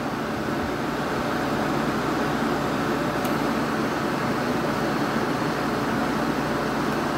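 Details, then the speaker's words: 1986 Kenmore air conditioner on high cool after a capacitor replacement and an R22 top-up, compressor fine; steady fan rush with a smooth compressor hum, no rattles or cycling, air blowing ice cold; normal running on high cool. "the compressor's fine i had to replace the capacitor in here and i also had to add some r22 to it and this thing's already ice cold"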